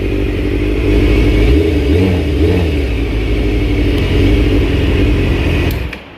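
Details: Honda CBR 600F3 four-cylinder after neutral switch replacement, with the overheating fixed and the fan on. It revs and settles smoothly with no knocks, though a slight ticking remains that needs tightening. Shuts off cleanly; healthy.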